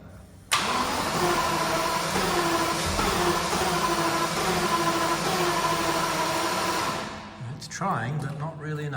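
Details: 1990 Jaguar XJS V12 after fuel injector replacement, small fuel line leak, air possibly in fuel system, a wire left unhooked: steady starter churn about six seconds never catching; long crank, no start.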